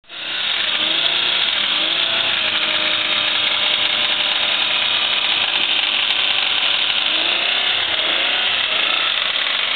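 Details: 1994 Toyota 4Runner SR5 V6 automatic with blown head gasket, previously run with water in the oil, causing harsh, rapid metallic rod knock hammering steadily over the engine.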